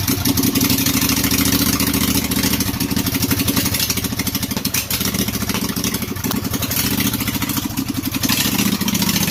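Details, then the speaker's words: Briggs & Stratton Intek 18.5 hp V-twin with the fuel shutoff solenoid disabled, running after fresh gas: even, quick idle beat with no misses or knocks. It runs well, shut off via the kill wire. "oh there we go i would say that that should do pretty good and we'll call that a win"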